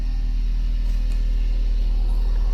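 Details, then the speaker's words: VW Voyage with electronic injection, electric fan running constantly, cold engine just started after clearing codes: low uneven pulsing idle that wavers; shaking more than expected, feels unsteady; rough idle, cause not pinned down. "tá tremendo um pouco além do Eu não tô sentindo muita firmeza no funcionamento dele não viu e ele tá meio frente carro sabe quando você liga o carro ele treme mais do que você achou"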